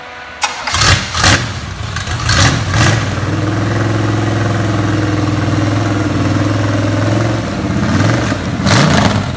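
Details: Freshly rebuilt 350 small-block Chevy for a 1980 Chevrolet Z28 Camaro, first start on a run-in stand before fitting: cranks a couple of times, catches, settles into a steady, even V8 idle with lumpy cam rumble; healthy start.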